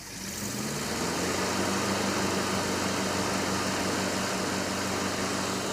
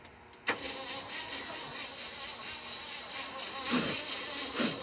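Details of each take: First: 1967 Ford F-250 V8 running with a ballast resistor, about 7.5 V at the coil while running, with strong oil pressure. It catches and settles into a steady, even low rumble with no misses, knocks or stumbles, which is normal running. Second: 1967 Ford F-250 truck being revived: starter spins the engine over with steady, even cranking pulses but it never catches; it had been dying, a fire stopped when cranking stopped; weak spark from a hot coil suspected, unconfirmed.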